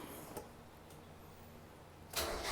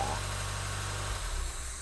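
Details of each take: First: 1990 Mazda Miata after top-end rebuild, brake booster found disconnected (suspected vacuum leak): starter spins about three and a half turns a second for over three seconds without firing; crank no start, firing order later suspected wrong. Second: 1990 Mazda Miata NA, starting up after a top-end engine rebuild: a steady low engine rumble that settles and fades after a moment, no knocks or misses; engine runs normally.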